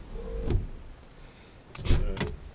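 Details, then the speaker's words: 1959 Buick Electra 225 four-door flat top, 401 Nailhead: short electric whir ending in a soft thunk, then another quick run and stop as the power windows fly up; normal, healthy power window operation. "This one, probably of all my flat tops, if you get a video of this, these things kind of fly up. Yeah, they do."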